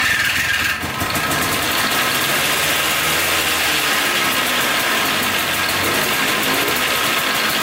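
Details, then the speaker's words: Polaris Trail Boss 250 4x4 two-stroke ATV, bought as junk, idling with clutch removed after carb cleaning and new starter: busy, buzzy, rattly top end but the earlier screech is gone; owner suspects clutch was installed wrong or worn out. "all right so it's a lot quieter without the clutch so that's good"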